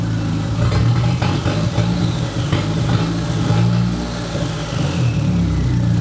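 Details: The "200", bad misfire persisting after ignition work, exhaust cut free: uneven, lumpy idle with the beat stumbling and dipping irregularly, like missing on a cylinder. Rough idle misfire, cause not yet found.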